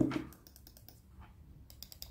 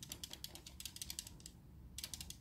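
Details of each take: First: biraz daha iyi yenisinde Evet yenisi biraz daha yumuşak yenisinin hissi kesinlikle eskisinden biraz daha iyi yani onu söyleyeyim Second: SteelSeries Rival 3 wired mouse, older unit, after reassembly: bursts of quick light plastic clicks when shaken; something loose inside, suspected an internal part no longer held firmly in place; new unit silent.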